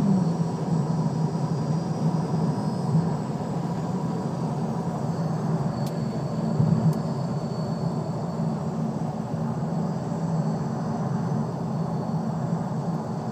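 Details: Lexus LS430: steady low drone with a faint thin whine at constant pitch; whine noise, source not identified.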